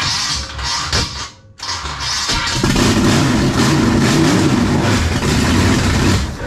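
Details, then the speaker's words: 1956 Chevy wagon big block, first start after years sitting, carburetor primed, no fuel pump, too much timing: labored cranking, then catches and runs with constant whirring grind over idle; starter staying engaged, shimmed with washers. "huh starter is remaining engaged which is a problem"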